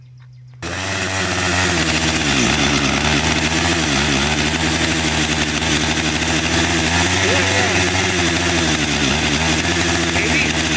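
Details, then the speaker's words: Husqvarna 562xp finally running after a hard hot restart, at 91°F and humid: loud, raspy two-stroke howl holding steady at high revs, small dips under cutting load; runs strong and clean. "And when it's running, like right now, it runs awesome. But it will not restart without pulling 100 times, and after I let it sit in the shade for a bit."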